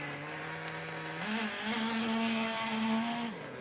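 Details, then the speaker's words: Traxxas T-Maxx Classic 2.5 nitro RC truck running in the yard in forward and reverse: small engine buzzes evenly at idle, rises to a steady higher pitch on throttle, drops back cleanly; running well. "It seems to run beautiful now."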